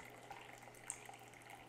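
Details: Keurig B70 K-Cup coffee maker after clearing a clog and cleaning the bottom needle, flushing water through: quiet, steady trickle running evenly with a few small drips; flow back to normal.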